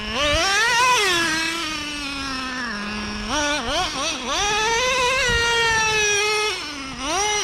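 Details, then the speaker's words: New Traxxas Revo 3.3 nitro engine after break-in, low-speed needle set, high-speed needle being leaned: high buzzy revs sag and won't open up at the top end; high-speed needle needs adjusting. "you hear how it's not quite opening up there."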